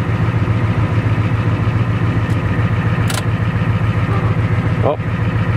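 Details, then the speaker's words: 1980 Freightliner dump truck with 855 Cummins diesel, warmed up, idling: low rumble with a rough, uneven rhythm underneath; owner says it sounds like a bad bearing, unconfirmed. "yeah it sounds like the bearing's bad oh well"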